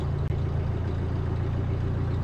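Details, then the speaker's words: 2018 Bobcat E26 mini excavator diesel at 1869.4 hours, first start after battery replacement and a month unused: low, uneven, lumpy idle, running a little rough. Owner suspects fuel drained back, briefly starving it. "engine sounds like it's running a little rough."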